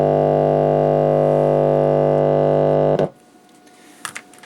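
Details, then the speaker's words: Telefunken Bajazzo Compact 3000 vintage cassette radio recorder (18 V and 7.2 V PCB), volume at maximum, finger test on amplifier input: loud steady mains hum for three seconds then stops; audio amplifier output stage works. "Yeah, so audio was completely to maximum, so that is why you heard the hum."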